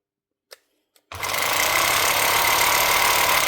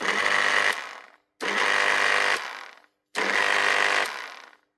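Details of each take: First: Makita HR2450 SDS hammer drill after replacing a burnt-out motor with a new armature and brushes: a couple of clicks, then steady, even high whir with no rattle or grinding; runs properly. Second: Makita HR2450 SDS drill with a burnt out motor, before the armature (517375-5) is replaced: three short runs, each a strained high whine with a crackly sizzling hiss, sounding like it is struggling.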